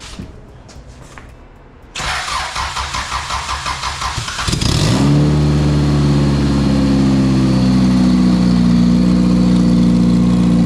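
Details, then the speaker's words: 1999 Honda Civic turbo build, first start on a cold 54°F day after head and timing reassembly, with a K-Pro-type eBay ECU adapter: brief cranking, then a steady, even idle with no misses; runs very well. "all right guys so we put uh we put the k pro or uh what's it called s300 s200 in it it was a little ebay adapter and car actually runs really really good right now"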